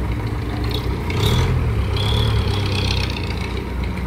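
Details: Isuzu 4BC2 diesel after its noisy, non-charging alternator had the stator rewound. Steady low idle with an even rumble and no whine or grinding. Normal idle.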